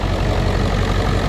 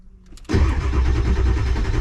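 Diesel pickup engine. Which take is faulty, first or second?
second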